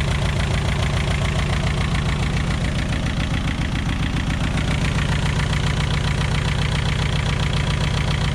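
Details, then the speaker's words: VW Scirocco MK2 ABF engine conversion on rebuilt Yamaha R1 carbs, first start; idle raised with the idle adjust screw and the distributor cap turned. Steady, slightly raised idle with an even firing beat and no misses; runs well, timing still needs fine tuning. "So that was me just turning the distributor cap. I'm probably going to have to play with that, but yeah, it runs. It sounds so good."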